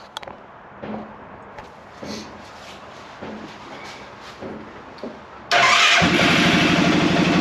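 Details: Arctic Cat Prowler engine on a stand with temporary wiring, coolant being bled of air, thermostat still fitted: a few clicks, then it fires and holds a steady, even idle with no misses or knocks; normal idle.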